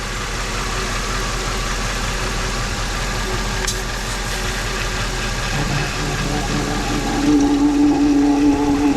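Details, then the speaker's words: Jeep WJ V8 with new valve stem seals and new gaskets burning in, smoking from oil on the block: warm idle with an even low thrum and light valvetrain chatter, no deep knock, sounds acceptable. "But yeah, it's kind of running. It really doesn't sound horrible."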